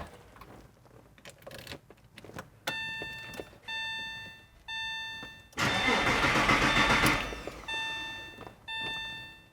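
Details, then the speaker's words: Porsche after intermediate shaft bearing replacement, first crank with fuel pump fuse pulled so oil circulates without starting: chime beeps then a short even burst of cranking with no grinding or clunks; normal starter cranking. "I definitely sounded okay so now we wait and we'll crank it again in a few minutes"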